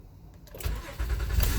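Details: 2013 Honda Odyssey restarted with codes cleared after a cylinder 3 misfire (coil suspected): a quick crank catches cleanly into a firm, even rumble with no misfires counted: normal engine start.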